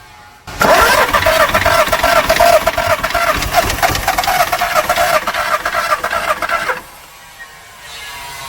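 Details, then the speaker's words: Skoda Fabia diesel with VW Polo engine that stopped while driving: about six seconds of quick, light, even cranking with no firing; sounds like little or no compression, timing checked OK, compression test planned. Cause suspected, not confirmed. "गाड़ी चलते-चलते रुक गई। ग्राहक का यही कहना है, तो चलिए इसे चालू करके देखते हैं।"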